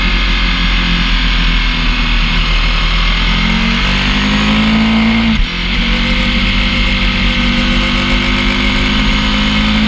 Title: PI Bearing Noise in Warm Up